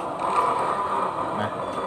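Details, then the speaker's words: Honda Click 125 scooter: steady grinding whir from the rear while the wheel turns; mechanic suspects a worn or broken bearing or a cracked part in the drive-side assembly, due for repair. "อันนี้ก็จะมีอาการเสียงดังแบบนี้นะช่วงที่ล้อหมุนนะครับก็จะมีอาการเสียงดังนะครับนี้ก็จะมาทำชุดข้างนะครับชุดข้างก็อาจจะเป็นลูกปืนอชุดคัดแตกนะครับ"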